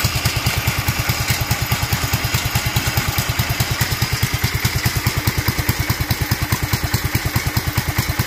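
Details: Duromax 18hp single-cylinder engine with an upgraded intake and air filter, after the idle screw was turned up and the choke opened with a little throttle: slow even thump near 140 firings a minute, idle too low and near stalling.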